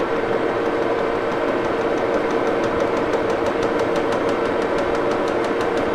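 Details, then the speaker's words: Lathe cutting hum with a sharp click repeating about five times a second from a rough spot left on the workpiece by cut-off wheels, while machining a Wohlhaupter UK4 rotary taper milling head shank. "I don't know if you can hear it clicking. There's still kind of a a rough spot from uh using the cut off wheels and everything I did to get this off."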